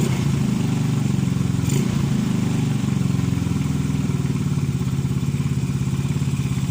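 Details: Motorcycle engine that starts hard because a sunken valve leaks compression: low, lumpy idle with soft, unevenly spaced thumps that never settle into a clean beat.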